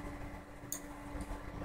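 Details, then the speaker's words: HP 8590B spectrum analyzer during repair: two crisp attenuator relay clicks about half a second apart over a steady low hum as it steps through self-test; it failed these tests before, still not fully fixed. "You can hear the attenuators clicking. By the way, it didn't pass any of these before,"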